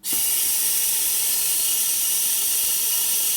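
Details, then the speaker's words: eBay nitrous oxide transfer pump on an 80 psi regulated air line gives a constant high hiss with no rhythm and stops pumping; internal air leak suspected, pump not working. "you hear the pump and stop so that looks like it's no good yep not working"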